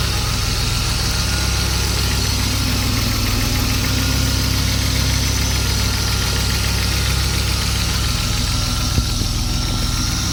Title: m50 ticking sound